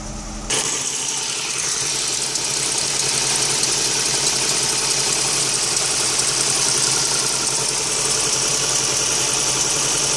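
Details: 2001 MK5 Ford Fiesta 1.25 Zetec petrol engine starting and idling unevenly with an irregular stumbling beat: no compression in cylinder 2 and very little compression in the others.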